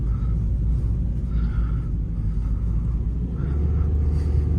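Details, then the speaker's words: Peugeot 308 after swapping polyurethane stabilizer links, which had caused knocks, for standard ones, driving on rough city roads: steady low road rumble with no knocks or clunks from the front end; suspension now quiet. "Не, всё реально все стуки пропали."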